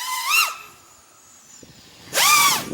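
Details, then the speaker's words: FPV quad on DYS 5042 tri-blade props, stock tune, at about 20% throttle: two whooshing passes with a whistle swooping up and down as throttle changes. Quieter than HQ props; normal prop sound. "It's got a really weird sound to it. I like it though. I don't know if you can hear it. It's almost like a whistling, like a whoosh sound when you go to idle."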